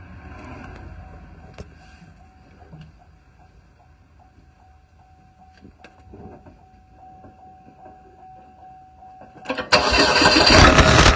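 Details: Pontiac Solstice GXP accelerating: faint thin whistle/hiss, then sudden harsh rasping engine roar with no boost and total loss of power; camera in intake confirmed a blown turbocharger.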